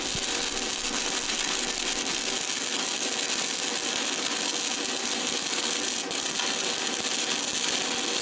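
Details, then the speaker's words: Everlast PowerUltra 206Pi DC stick welder at 135 amps, first pass: steady, crisp crackling hiss like frying bacon with no pops or sputtering breaks; stable DC stick arc producing a clean bead. "ally I got to hear the this being a DC machine once that uh sizzling bacon sound that everybody talks about uh AC welder I used to have I never quite heard that"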